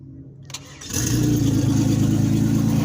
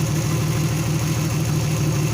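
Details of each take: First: Turbo Venture van, first start in months after fixing cylinder 5 dead misfire with no injector pulse by running a new wire from PCM pin 30: brief crank, then clean steady even idle. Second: Turbo Venture van first start in months: rough, lumpy idle stumbling about four times a second, dead misfire on cylinder 5 with no injector pulse; fixed by running a new wire from PCM pin 30.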